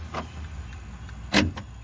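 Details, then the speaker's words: 2010 Toyota Corolla LE rear door power lock actuator after replacement, tested before reassembling the door: two quick crisp motorized clunks, lock then unlock, no grinding or hesitation; works normally. "it unlock that means this work great"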